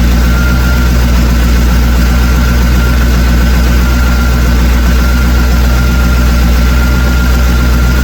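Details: V8 with a freshly rebuilt Holley four-barrel carb, during initial adjustment at idle: steady smooth low rumble with no stumble or miss. Pulling 17–19 inches of vacuum, idle speed set to about 900 rpm.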